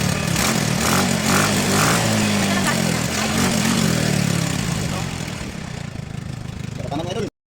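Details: Yamaha Mio i scooter revived after river submersion and 3 years not starting: small single-cylinder putters at fairly even idle, steady beat easing slightly near the end; running normally.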